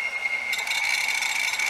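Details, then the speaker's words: Dead hard drive from the scrap pile running with lid on: high thin scraping grind with rattly edge over a steady whine, read head dragging across the platter; head crash. "that's not what a drive should sound like that's what a head dragging across the platter sounds like"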